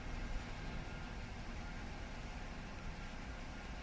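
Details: Mazda CX-5 that had a no-crank, no-start fault, after the BCM wiring repair: it starts and settles to a low, smooth, even idle with no knocks, misses or whine.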